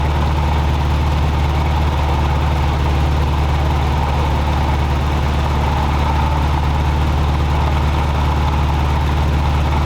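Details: Toyota 4Runner 22RE engine, warm, idling very high around 1,500–1,700 RPM (dash tach dead, timing previously rotated to lower it); steady even drone with no dip or hunt, caused by air leaking past the throttle blade.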